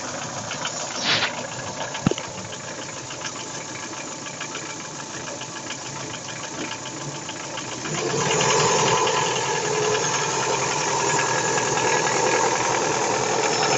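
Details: Daewoo Nexia 16-valve engine at idle: sharp metallic knock about four beats a second, louder as revs rise; worn connecting rod and piston knocking, later fixed by replacing the rod-piston group.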